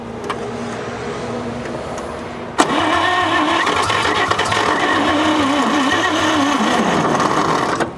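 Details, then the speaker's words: 1946 International KB1 truck, sat over 50 years with the engine once locked, old starter hot: laboured, uneven cranking about four turns a second that fades without catching; owner suspects the battery or starter. "that sounds like the battery though don't either that or the starter just completely completely went out"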